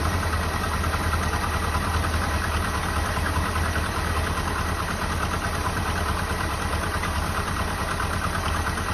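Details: 1984 Jeep Wagoneer, carbureted engine with electric fuel pump, first start after sitting: it catches and settles into a steady, even idle with a low, uniform rumble and no knocks or misses; normal idle.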